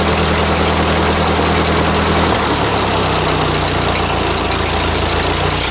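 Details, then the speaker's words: Old Ford 2N tractor four-cylinder, first start with choke pulled, brakes badly seized: catches and settles into a steady, even idle with no knocks or misses. Normal idle. "wow i can't even hardly believe it but it's actually sitting there running oh it's sweet"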